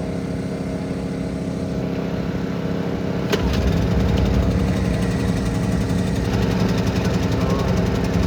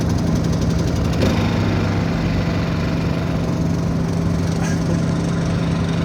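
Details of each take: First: Honda EU2000i generator after a repair for only running on choke and then stalling, fully reassembled: a sharp start, then a smooth, steady hum with no surging or stumbling. It runs properly. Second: Honda EU2000i generator running on choke: steady low drone with slightly uneven firing. It won't run off choke and shuts off after about 15–20 minutes.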